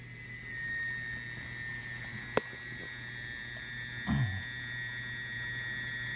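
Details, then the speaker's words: Whirlpool dishwasher: steady, piercing high whistle whenever the cycle starts; owner suspects the water inlet valve and plans to replace it; cause not confirmed. "my Whirlpool dishwasher is making a very annoying whistling noise whenever the cycle starts and will capture this on video here so you can hear what it sounds like in case you're experiencing the same thing"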